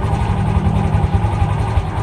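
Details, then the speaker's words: Fury 125 New Breed motorcycle that stalled and bogged under throttle, after the fix: a steady, even low single-cylinder thump at a slightly high idle with no misfires or stumbles, running normally now. "So, ayan na siya guys. Mas maganda na yung minor niya."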